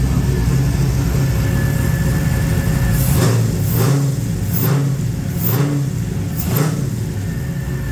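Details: XG ute, newly converted from carby to Holley EFI, idling after first start with idle screw turned up: low, even rumble holding a steady idle with a few brief surges, no hunting; normal idle.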